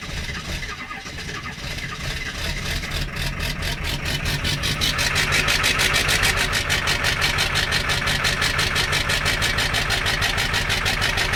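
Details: Ford 7.3 diesel cold start at 15°F with the block heater unplugged: long even cranking at about three beats a second slowly gaining strength without catching cleanly: hard cold start, extended cranking.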